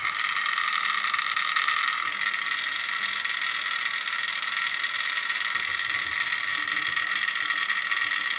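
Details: MP3-to-cassette adapter playing from a Galaxy S10 in a cassette player, heard through a headset: a constant fast, dry clatter rides over the tape drive whir. The adapter's internal cogs rattle loudly and playback sounds poor.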